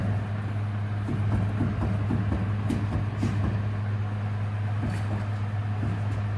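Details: Hummer H3: a steady low droning hum with faint rapid ticking, suspected to be a bad wheel bearing; not confirmed.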